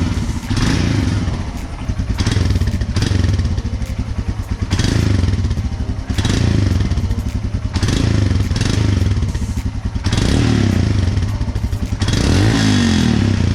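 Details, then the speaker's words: Royal Enfield Himalayan after battery replacement with new AMCO Z9: deep even single-cylinder thump blipped up and down about every two seconds; healthy exhaust note. "ऐसे ही आप लोगों को मिलेगा Himalayan का exhaust note."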